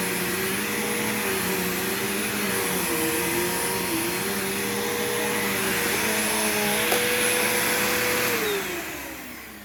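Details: Bagged vacuum unused about a year, old smelly bag still inside, both belts changed long ago: smooth even motor whine with clean brush hum, no slapping or squealing, then spins down; belts aged well, normal.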